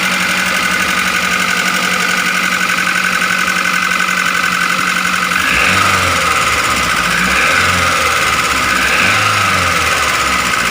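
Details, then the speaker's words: Grand Max engine running rough at idle, valve cover previously opened; fast fairly even ticking about four a second with sharp top end; piston, bearing or valves suspected, found to be excessive valve clearance causing tappet clatter. "Cemen lu suara saat mesin hidup itu kasar seperti ini makanya kita akan membongkar untuk melihat apakah dari piston dari metal atau dari klep yang bunyi"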